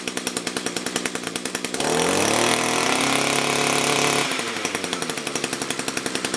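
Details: Echo two-stroke after its carburetor was rebuilt or replaced, low and high screws tuned alike, run in winter. Idles with a quick even pop, about three a second, then revs smoothly to a high steady buzz and drops back cleanly.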